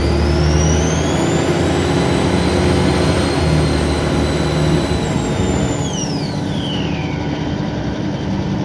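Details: Arriva The Shires Alexander ALX400 Dennis Trident 2 bus 5431 (W431 XKX) on route 24 to Luton: loud high turbo-like whistle climbs with the pulling diesel, holds, then falls as throttle eases; whine under acceleration, cause not confirmed.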